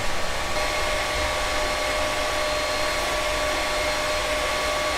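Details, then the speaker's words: Creality Ender 3 V2 3D printer during its first print: even airy fan whoosh from all around, including the bottom, with faint fixed tones; no stepper driver noise or rattles; fans running normally. "the printer is quite quiet except for the fans so you can hear there's no stepper driver noise but there is quite a bit of fan noise and that's coming from all around including the bottom"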